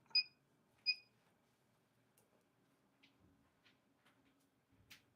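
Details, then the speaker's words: Nail gel curing lamp, mid-cure of stain-resistant top coat: two short high-pitched beeps about 0.7 s apart, then near silence; unexpected beeping, cause unknown, possibly restarted. "What's that noise? That's beeping. That's weird. I don't know what it is."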